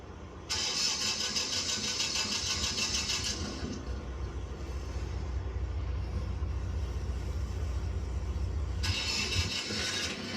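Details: Auction-bought Prevost Vantare Featherlite motorhome, house batteries dead: starter grinds about three seconds, generator catches into a steady low rumble, then the starter whirs briefly again; normal cranking and start.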